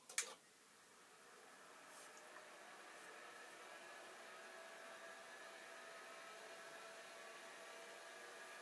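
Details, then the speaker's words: Old hard drive switched back on after a shorter-than-expected spin-down, owner wondering if a drop of oil is needed: sharp click at switch-on, then faint steady whir with fixed-pitch tones as it spins up again; normal spin. "And the answer is yes, it is spinning. Well, this is encouraging."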